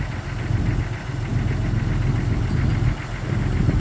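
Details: 1999 Jeep XJ Cherokee at cold start idle: a dull, regular knock under the engine note, somewhat uneven in strength; owner suspects piston slap, not confirmed.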